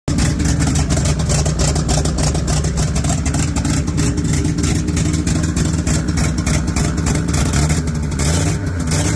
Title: still got exhaust leaks. dammit